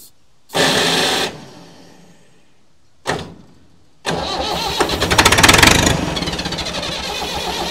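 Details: Massey Ferguson 178 diesel on cane haul-out unit, sat for years: two short cranks then rough uneven running only on ether; injector pump not delivering enough diesel to idle.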